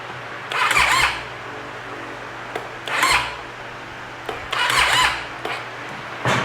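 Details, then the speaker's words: Triumph Tiger 800XC (2011–2014), spark plugs back in, aftermarket starter fitted: three short strained whirring starter bursts that stall without the engine turning over; cause suspected as battery or starter. "either the battery or the starter. Battery or the starter, one of the two. There's no reason this thing shouldn't turn over."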